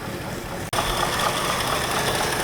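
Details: Mustang II Cobra high-performance model sat outside 27 years, first start leaking fuel heavily, timing possibly low, factory exhaust: catches after a brief dropout and settles into a coarse, unsteady idle with a raspy top end; rough running, cause unclear.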